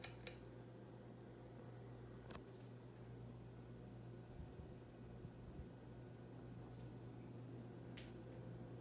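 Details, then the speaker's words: Hunter Original ceiling fan, stock three-speed, running on high: quiet, steady low hum with a soft rush of air and no ticks or wobble, a healthy fan. "so this fan has three speeds from the factory no modifications by me totally bone stock let's give it a whirl here's high"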